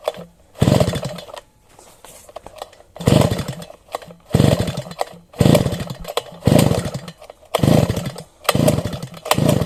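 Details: Sviatiaz BT-430 petrol brush cutter that won't start after a refuel. Short sputtering bursts about once a second, each dying away; catches but won't run. Wet plug. Fouled, flooded spark plug; a new plug started it first pull.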